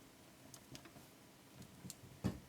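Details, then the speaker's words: Revox G36 four-track valve tape recorder from the early 1960s, with irregular clicks and pops over a faint hum when the input valve is moved in its socket; loose contact, may need the socket pins tensioned or cleaned. "and see that moving this one here getting a bit of noise so it might be worth just tensioning this the pins or cleaning them"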